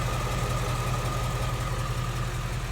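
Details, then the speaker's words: 2016 Mustang GT 5.0 Coyote, about 10,000 miles, warm at normal temperature, AC off, mic at the fender: smooth, quiet idle with only soft normal valvetrain patter and no Coyote tick or ticking. Normal idle. "See how quiet that is? There's no barbecue igniter tick. There's really no infamous Mustang Coyote tick as well. All you hear is some valve train noises that are considered as normal."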